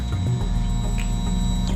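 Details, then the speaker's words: 2022 Kawasaki KX450 (about 9.9 hours) with a rebuilt fuel pump, original pump failed to prime when hot and wouldn't start hot: steady electric hum with a thin whine for under two seconds, then a clean cutoff; normal fuel pump priming. "That's the fuel pump coming on. So the problem was before with the OEM is that when it was cold, it would do that."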